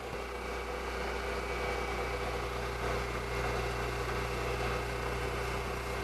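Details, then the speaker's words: Milling machine with a 3/8 cutter at about 1750 rpm, part locked down, plenty of cutting fluid, removing a lot of material: even, steady spindle hum with smooth cutting hiss and no chatter or squeal; normal milling cut. "make sure and have everything locked down nice smooth uniform cut make sure you apply plenty of fluid to it we're removing a lot of material"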